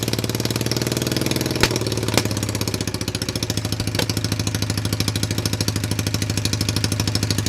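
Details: Cheap, beat-up Chinese ATV running on jumper pack after bad CDI found and coil trigger wires jumpered; small single at steady quick idle with a couple of rev blips, a bit rough but runs. Clutch problem appears when put in gear.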